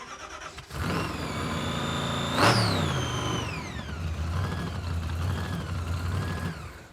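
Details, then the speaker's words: Supercharged 426 Hemi V8 in a '55 Chevy, hot blower and throttle body, return spring not enough: starts, flares sharply, revs sag slowly and hang high; owners suspect butterflies sticking in hot bores, planned fix is a stronger spring; high idle. "that's not enough spring to do it this is not a car where you want the throttle to be stuck I think part of what's happening is the blower and the throttle body are all really hot and the butterflies are sticking in the boar because it doesn't return"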